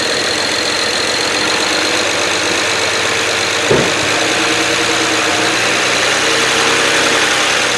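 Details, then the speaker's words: BMW 335i just after replacing and INPA-coding two leaking injectors (#1, #6): busy, slightly uneven idle with faint irregular stumble and a brief surge as air clears from the refilled injector lines; rough running from air. "Now it's going to start rough, right? I've got 2 injectors and two lines that have no fuel in them. They're full of air. It's going to stumble and whatever."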